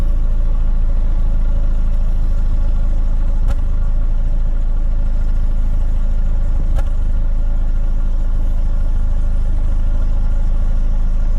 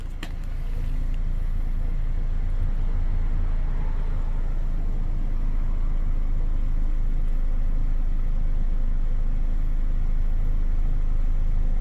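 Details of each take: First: 2009 Chevy Cobalt, 341,000 miles, check engine light on: low steady idle with faint uneven stumble and a couple of sharp clicks, a slight misfire felt while driving, diagnosed as cylinder 3. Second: 2009 Chevy Cobalt with 341,000 miles, after fitting a coil pack from a parts car for a slight misfire, heard at the exhaust before clearing codes: a steady, even idle with a smooth low beat, no stumbles, all cylinders firing. Now running smoother.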